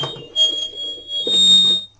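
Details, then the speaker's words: Homemade microphone preamplifier under test: a piercing high whistle swells and holds for about half a second. This is acoustic feedback from the speaker pointed at the microphone; the amplifier works. "są piski ale ewidentnie wzmacniacz działa piski zawsze występują gdy gdy głośnik jest skierowane strony mikrofonu są takie rzeczy zawsze występują w kolumnach karaoke"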